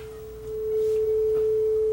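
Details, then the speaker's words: Yamaha K520 cassette deck after replacement drive parts, before speed adjustment; clean, steady tone at one pitch with the previous wow and flutter gone, though speed is still slightly off: steady tape speed. "we're not going quite the right speed yet we'll fix that but gone is that ugly flutter or that ugly wow"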